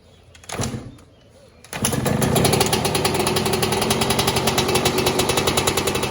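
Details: 2002 Yamaha YZ125 two-stroke, first startup after top end rebuild for failed rings, backfires, then after a kick and pause catches and settles into a crisp, rapid, even crackle, running healthy.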